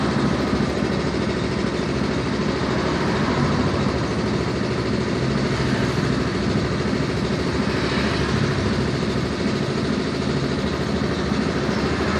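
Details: Yamaha Mio M3 scooter idling with a loose, uneven "klotok-klotok" clatter of roughly two or three knocks a second over the engine; abnormal engine knock at idle, cause not yet analysed.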